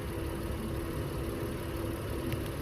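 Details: 2020 Honda Passport EX-L 3.5 V6, remote start: low, even hum with no misses, knocks or ticks over about three seconds; smooth, settled idle.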